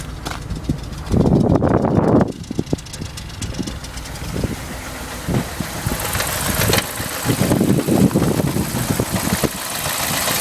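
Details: BMW 745i V8 idles roughly with uneven stumbling pulses and irregular surges from a misfire.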